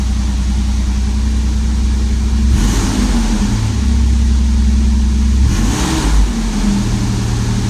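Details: 1994 Toyota T100 after the misfire fix, with the wires zip-tied into their holders: steady, even idle with two clean throttle blips that rise and settle smoothly, no stumble or miss. Runs healthy.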